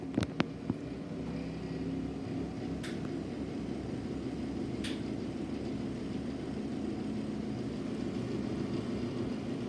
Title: Ixl sensation exhaust fan with bad bearings